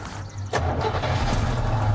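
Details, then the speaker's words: 1967 Buick GS 340, long-abandoned, fed fuel from a bottle primed to the carburetor: a few cranks, then catches right away and settles into a steady, even idle with a deep rumble; normal start. "she wants to run right off the bat"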